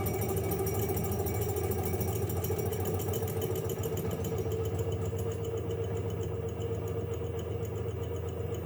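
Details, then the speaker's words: Torsion vibration absorber test rig run near its natural frequency, about 6 Hz (reading 6.18 Hz): motor-driven hum with quick, uneven clicking about three times a second, because the oscillations are vigorous. Clicking near resonance. "What you can probably hear there is a bit of clicking there, because it's hard to run it at the actual natural frequency, because the oscillations are quite vigorous."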